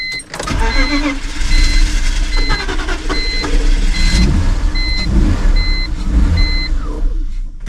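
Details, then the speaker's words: Cheap project car after long cranking: the engine catches and revs unevenly for a few seconds with chimes beeping, needing throttle modulation, then dies. There is a fuel smell, and the owner suspects it isn't getting enough fuel. "holy [ __ ] it was running for a second just stay running after sitting here trying to crank this thing for so long I finally got it to stay running for more than like a few seconds"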